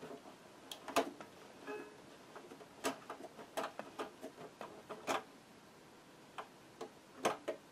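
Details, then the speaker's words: Brother JS-23 sewing machine turned slowly by hand: uneven sharp clicks and snaps, heavy knocking, thread looping underneath; shuttle binding in its race with burrs on the shuttle retaining ring, poor thread release. "очень большой сброс нитки отвратительный это где-то в челноке"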